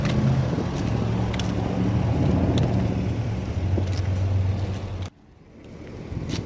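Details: Nissan straight-pipe exhaust after cutting it with a tail pipe cutter and joining it with a Walker band clamp (temporary, not welded): deep, even idle rumble with no puffing or ticking at the joint; a minimal leak remains where the pipe ends meet.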